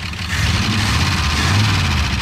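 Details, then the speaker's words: Abandoned 1968 Ford F100 Ranger V8, first start in many years after being seized: steady, even low rumble, no misses or blow-by, slight valve clack suspected; smooth, healthy idle. "Listen at that thing. It idles as good as any of them."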